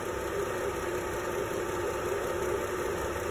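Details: 2004 Chevrolet TrailBlazer after repair of cylinder 1 and 6 misfire caused by swapped coil and broken spark plug: even, steady idle with no stumble, no check engine light or active codes.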